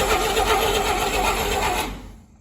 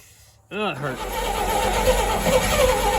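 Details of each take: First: 1959 Rambler, 195 flathead inline-6, automatic, parked for years; starter held engaged by hand on the flywheel; short burst of fast grinding cranking winding down within two seconds; starter not strong enough to engage the teeth by itself. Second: 1959 Rambler, 195 flathead inline six with automatic, parked for years, first start after purchase, low on transmission fluid: cranks briefly, catches at once, settles into a steady even idle without misfires or knocking; normal idle.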